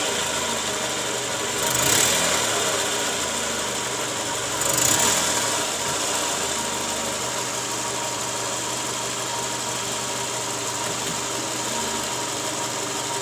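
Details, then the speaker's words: Toyota Camry 2JZ, after replacing the balancer shaft and balancer bearing set: a steady, even idle with no knocking, just a smooth mechanical hum. It is much smoother than before the repair. "oke Guys Jadi sekarang suara mesinnya jauh lebih halus ya dibanding awal sebelum kita ganti balancer shaft dan juga metal ya"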